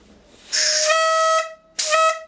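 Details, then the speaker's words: eBay fuel pressure regulator bench-tested with air, gauge on a T-junction at the output, set at about 2 bar after showing 1: two steady reedy honks at a fixed mid pitch; regulator venting and regulating normally. "Makes a noise as well. It's on 2."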